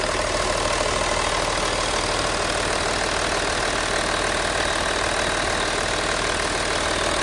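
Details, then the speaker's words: Hillman Imp engine run up without coolant, idling evenly with a fine steady top-end tick and no loud clatter or irregular tapping. A worn-cam worry was raised, but the cams sound fine; cam covers are to come off next. "But it does sound like they're all right. I can't hear anything bad."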